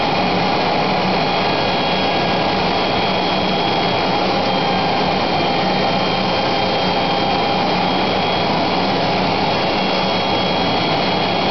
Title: Router Making noise